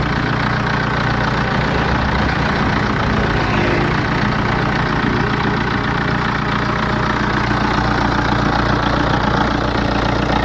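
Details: BMW 5 Series N47 diesel idling before repair: quick, uneven metallic rattle over the clatter, about three or four a second, from a worn timing chain and guides, later replaced.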